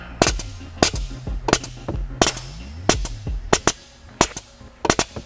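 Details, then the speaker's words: Air Lift air suspension with the manifold exhaust line pulled off, so air dumps out directly instead of through the tube under the floor: sharp valve clicks each followed by a loud air burst about once a second; loud exhaust. "Now if I pull this off of here, you're gonna hear that it's gonna get a lot louder because now the air is literally just dumping out of there and it's not dumping through the tube down underneath my floor section here"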